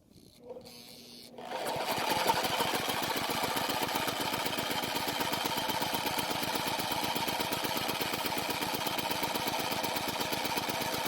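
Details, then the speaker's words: Powermate generator that sat unused for years, with low compression (owner suspects stuck piston rings), before carburetor cleaning: short crank, catches and runs a few seconds at a rapid uneven putter, then dies; fuel system fault suspected. "Now, after a couple of attempts, we finally get to hear it start and run for a few seconds, which is great news."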